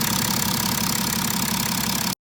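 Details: BMW F10 535d diesel after repair (injector bores cleaned, injectors refitted, intake manifold reinstalled, diagnostic tool connected for air bleeding): a steady, even idle with only the usual light clatter and no stray knocks or ticks before shutdown. Normal, healthy idle.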